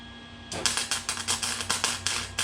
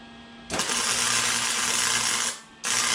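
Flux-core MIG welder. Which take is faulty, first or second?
first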